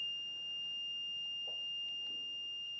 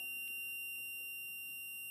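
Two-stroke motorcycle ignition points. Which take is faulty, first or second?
second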